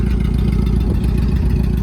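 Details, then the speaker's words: 1990 Mitsubishi Mighty Max pickup, 5-speed manual: lumpy loping idle with an irregular skip every few firings, a cylinder misfire; owner suspects a burnt valve rather than a tune-up issue, tune-up kit ordered but unconfirmed. "Like I said, I'm starting to think that the misfire is"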